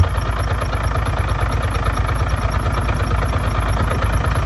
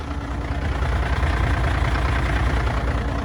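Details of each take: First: Truck diesel at cold idle just after an exhaust pipe repair, checked with a listening tool around the front cover: a thin, high, rhythmic squeak rides over the knock, then fades once the engine runs. Cause: crank damper dust boot rubbing the front cover. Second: Truck diesel idling after the fix: the pulley's dust boot was cleaned up with a knife so it seats deeper, and the pulley was cleaned, bolted back and the belts refitted. A low, even rumble with no squeak; healthy.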